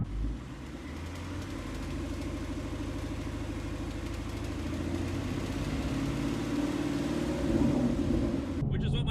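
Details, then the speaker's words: Engine with headers and Corsa exhaust: deep rhythmic knock about three beats a second coming from the bottom of the engine; a tech suspects piston slap rather than lifter noise, not confirmed. "he said to him just by judging off the sound that it does sound like piston slap to him it wouldn't be like lifter noise cuz you would hear that from the top it's coming from the bottom"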